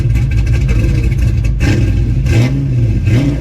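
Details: Pontiac GTO, warm after sitting over a week, throttle blipped lightly: revs catch with slight hesitation as throttle opens, a stumble off idle; owner suspects the spark plugs, changing them to test.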